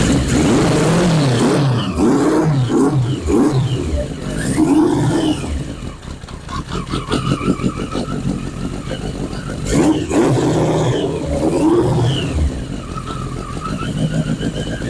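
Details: 1981 Yamaha Maxim XJ650 four-cylinder, first start after 20 years unused, old oil, carbs dusty but sound, choke possibly inoperative: catches and revs up and down on hand throttle, firing evenly with no misses or knocks; running fine.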